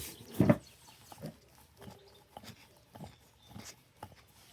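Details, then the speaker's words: Tractor mower wheel spun by hand: dry, gritty crackle with uneven clicks, very crunchy; other wheel's bearing silent; worn bearing (6203, 3/4 inch bore) to be replaced. "I don't know how well it's showing up on camera, probably not at all, but it's very, very crunchy, extremely crunchy."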